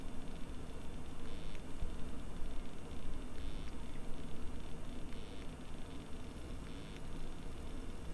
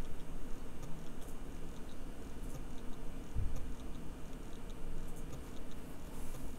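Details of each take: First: Bare hard drive buried underground in a freezer bag for a year, after recovery, copying a small file with microphone moved close: quiet steady hum with soft seek ticks, no grinding or hard clicking; no longer making the earlier horrible noises, reads at about 13 MB/s. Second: Bare hard drive buried a year underground in a freezer bag, microphone placed close, powering up: faint, irregular sharp clicks every second or so over a quiet hum, heads resetting, a modified click of death; failing drive.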